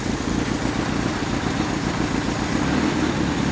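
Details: 1985 Toyota pickup abandoned 20+ years in a junkyard, signal generator replaced, started via cheater wire with the throttle cable missing and the accelerator pump doubtful. It has just caught after a long hard start, running loud and ragged with an uneven low rumble.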